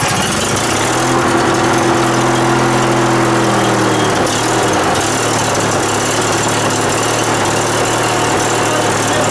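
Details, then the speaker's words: Riding mower, single-cylinder, just started after starting fluid was sprayed into the intake and the air filter refitted: steady, even idle at about three beats a second, no knocks or misses. It runs normally. "Oh, you mean termites? Hey, it runs!"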